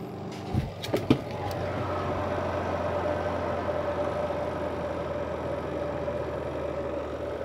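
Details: Sharp washing machine after its burnt spin-dryer motor was rewound, glued to stop vibration: a few clicks, then a steady motor hum with a faint even whine; spin motor runs smoothly, normal.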